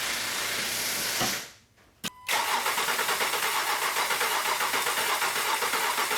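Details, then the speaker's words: 2016 Honda Pilot after fuel injector replacement for code P219B, a bank 2 air-fuel ratio imbalance. Short crank, it catches right away and drops into a smooth, even idle with no misses, ticks, odd noises or leaks; healthy. "Alright guys, as you can see, the engine is running. The engine sounds good. There are no weird noises, no leaks."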